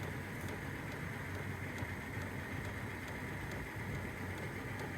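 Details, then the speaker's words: Cheap Amazon Vevor 12V diesel heater running normally on high; steady blower roar with a light fuel-pump tick about twice a second over a nearby idling engine. "I'll discuss it later but I wanted to show you guys this is running on high"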